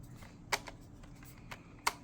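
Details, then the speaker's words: 2011–2014 Chrysler 300 original Mopar turn signal/steering angle switch, with the Standard Motor Products (CBS2149) replacement now installed in the car. A few soft, crisp clicks as the stalk moves, no grinding; quiet and silky, and the replacement functions just like it. "See how nice and quiet and silky that is? The one I bought was a standard motor parts. Standard motor. Feels just like the original."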